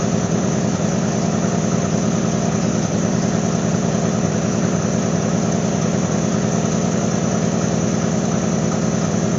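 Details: GMC Sonoma after a holed muffler was replaced with a used straight-through glass-pack muffler: steady, deep idle pulse of about 200 beats a minute with no puffing or ticking leaks; a sealed exhaust.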